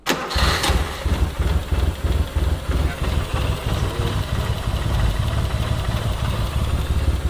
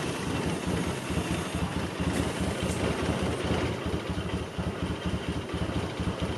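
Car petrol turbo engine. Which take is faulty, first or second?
second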